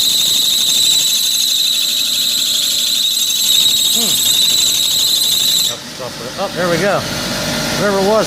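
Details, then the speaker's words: 1997 Mitsubishi Mirage 1.8L 4G93 at first start after valve lash adjustment: loud, steady, piercing squeal over the idle for several seconds, then stops; drive belt slipping, likely contaminated with cleaner or oil during the work. "the good news is i must have got something on the belt"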